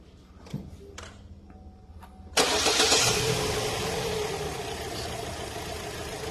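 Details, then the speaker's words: Holden Cruze: starter whirr, then engine catches into a shaky, uneven idle with a stumbling beat about four times a second, a dead miss; misfire traced to the common coil pack failure; ignition misfire from failed coil pack. "you can hear the engine not happy you can see this engine is very shaky definitely got a misfire"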